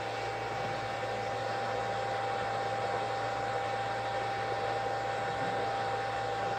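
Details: REGEN-I BK-I300 BGA rework station desoldering a TV board chip, hot-air upper heater over infrared lower heater ramping toward 80/200/250 °C steps: steady, even airy hiss with a faint fixed tone, no knocks or surging; normal operation.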